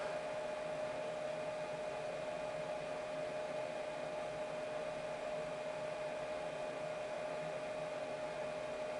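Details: Chinese diesel heater after glow plug replacement, glow plug heating before fuel pump starts: steady even fan whir and clean hum, no clicking or rubbing; fan running normally.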